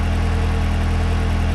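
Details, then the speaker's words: Engine that cranked but wouldn't run with P0132 and over ten codes, after restoring a forgotten control module breakout connection: smooth steady idle with even low pulse, no stumbles, ticks or misfires, codes gone. "So now you can see and hear it running very well now and no more"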